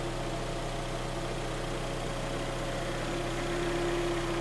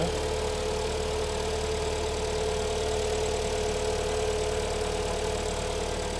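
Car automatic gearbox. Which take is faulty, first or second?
second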